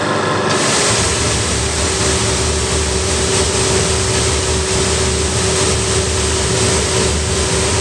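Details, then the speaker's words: Pressure washer with diesel burner running after thermostat replacement (old one's capillary tube had snapped), new heavy flex fitted; steady pump drone and constant roar from lit burner, no knocks or surges, slightly smoky; normal running with burner firing. "Right, let's turn the thermostat to something you might hear the fans kicking. And you'll hopefully see the diesel light."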